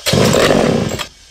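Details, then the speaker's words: Vintage Pioneer P41 66cc chainsaw after carb rebuild, fitted with a free-flowing muffler (spacers): snaps to a loud, raspy high rev then drops to quiet idle; runs cleanly, just louder with more crackle and pop. "We got a nice free flowing muffler. It's going to have a little more of a crackle, snap, pop to it."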